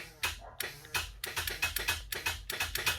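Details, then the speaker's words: Honda Civic hatchback build: on a shop-tested starter, the solenoid clicks rapidly with no crank, which usually means a dead or low battery. "so you can hear the solenoid clicking now a lot of times usually when that happens it means uh that the battery is dead or there's not enough juice in the battery to turn the motor"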